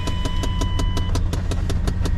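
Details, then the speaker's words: 31-year-old Chevy dually pickup, 130,000 miles, idling: sharp, even tapping five or six times a second from behind the dash. Believed to be the blower motor, which runs about a minute then shuts off; not confirmed. "Not interior work, but the uh what I believe to be a blower motor. I'll start the truck up and you'll hear it right now. It only runs for a little bit and then it will shut off after like a minute."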